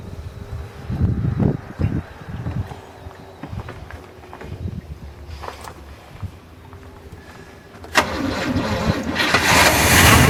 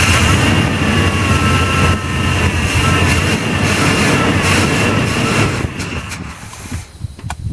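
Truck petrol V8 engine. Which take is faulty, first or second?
second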